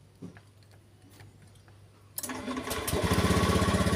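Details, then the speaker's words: Honda Scoopy scooter after fixing hard starting and sputtering, fuel pump pressure near 50 confirmed: cranks once and starts easily, settling into a steady, even idle; now running smoothly. "Ah, hidupnya sudah ringan guys. Ah, gasnya udah enak."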